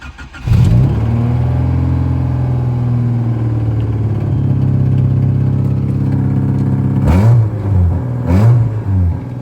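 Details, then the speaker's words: Honda Civic four-cylinder on jack stands, started after its exhaust holes were patched and the joints tightened. Loud raspy idle with two sharp throttle blips, open-header sound, no leaks or rattles. "you got it straight pipe Civic I mean open header Civic"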